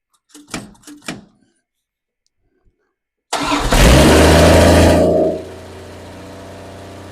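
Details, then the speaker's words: Plymouth Duster Slant Six at first fire-up after install, with the throttle return spring now fitted correctly; cranks, catches, revs briefly, then settles into a smooth, even, steady idle: healthy runner. "we got a runner it sounds good it sounds really good"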